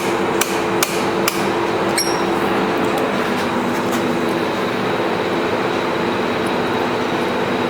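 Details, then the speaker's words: Wrecked 2011 Suzuki Hayabusa GSX1300R that won't start. Four or five sharp, irregular relay clicks are heard when a wiring plug is moved, then only a quiet hum; a bad or loose connection, with a solenoid also suspected. "Every time I move something, everything just blinked out up there. There's a bad connection. That's weird. Sounds like something's loose. Yeah. When I move this plug right here, I hear a relay clicking."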